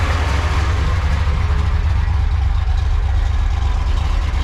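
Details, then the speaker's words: Supercharged 1976 Chevrolet Corvette Stingray V8, just revived after years sitting, heard from outside: heavy uneven idle with a steady rushing hiss; supercharger noisy, little boost shown, cause unclear. "well it's alive that was shockingly easy oops supercharge Char is noisy"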